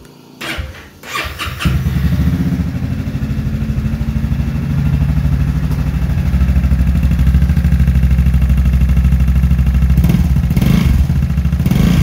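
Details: Honda Forza 300 scooter after a piston replacement, started indoors: after a cranky start the idle settles into a steady, fast tak-tak tick, about three a second, over a low drone. The tick was quieter after fresh oil; cause unconfirmed.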